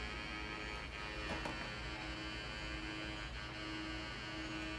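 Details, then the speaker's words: 1980 Atari Battlezone arcade PCB, sound generated on the board, after new ROM sockets and reprogrammed ROMs; steady low hum with a tone cutting in and out, sound circuit flaky, cause not yet found. "just flaking out with that sound the sounds are generated on this board it's totally flaky"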